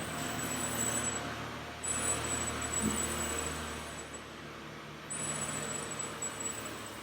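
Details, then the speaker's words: 2015 Lexus RC 350 F-Sport rolling on the road. A thin, very high, steady squeal comes and goes in stretches over road noise. A Lexus mechanic confirmed it is the front brake pad wear indicators touching the rotors; pads and rotors are due for replacement. "If you're checking out this video specifically for the RC350, you might be hearing this, and basically it's the wear indicators."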